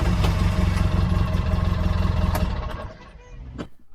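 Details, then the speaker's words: Polaris RZR 570/800 that would not turn over because of a dirty brake sensor, after the sensor was cleaned: engine catches and runs with a steady, even low thrum for a couple of seconds, then winds down; normal start, fault fixed. "once that's nice and clean you give it another try and it should turn over properly"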